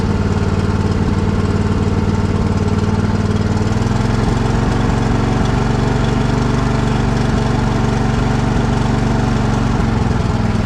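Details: Poulan mud mower's single-cylinder engine running on choke just after starting, with an uneven, stumbling beat, skipped pulses and some popping. The misfire is thought to need servicing; cause unconfirmed.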